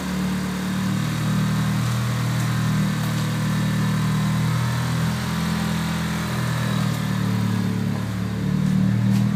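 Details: 1995 Mitsubishi Eclipse GSX, 137k miles, new 16G turbo, 3-inch Magnaflow exhaust, running: light repeated tapping over exhaust drone; knock/tick of unclear source, previous owner suspects spun rod bearing, bent valve also questioned, unconfirmed.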